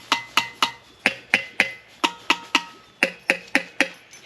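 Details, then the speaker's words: Junkyard GM LQ4 6.0 LS V8 during teardown, engine dead and seized: about a dozen sharp ringing hammer taps on valve tops, roughly four a second; hard metallic ring suggests a valve not moving, suspected stuck, not confirmed. "see how that sounds different that sounds metallicy that almost sounds like it's just not I don't know not moving"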